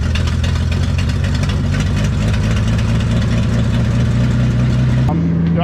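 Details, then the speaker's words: 1979 Ford F150, 300 straight-six, C4 automatic: runs rough and loud about five seconds then settles to fast idle; starts only with gas poured down the carb, carb needs rebuild. "it's got some gas from the gas can here to give a splash down the carb trying to fill the bowl up but I can't really see down in there"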